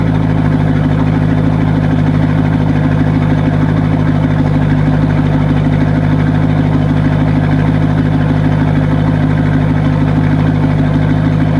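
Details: C5 Corvette V8 idling on a lift with the exhaust cut open ahead of the mufflers on both sides: loud raw unmuffled idle with a deep lumpy bark and echoey sound like open headers or a broken exhaust.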